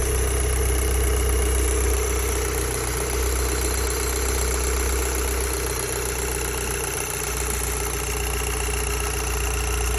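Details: Audi TTS 8J engine just after starting: a steady idle with a fast, fairly regular light rattle over the engine note, about four per second; the source of the rattle is undetermined.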